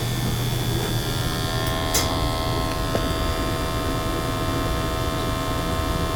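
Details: Natural gas boiler with high CO levels flagged in an energy audit, after burner cleaning: steady, even low hum with a faint airy rush, no surging or popping; burner firing cleanly, CO PPM coming down.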